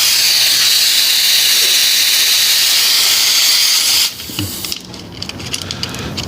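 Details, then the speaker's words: Appion G5 Twin refrigerant recovery machine being set up: gauges hooked up, "out" hose on the vapor side and cracked open to purge. A loud steady high hiss for about four seconds, then an abrupt cutoff: a normal gauge-hose purge. "these two ports our middle port on our gauges there we go that's a purge right"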